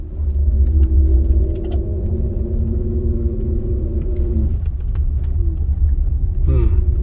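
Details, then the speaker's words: 2007 Honda Ridgeline on low-speed tight turn with moderate acceleration, only under load turning either way, not straight: low rumble with steady droning moan; per Honda bulletin, fix is changing the differential fluid. "but it has a noise when you're turning right or left like a moan i'd call it a moan moan groan so i'm going to show you what it sounds like"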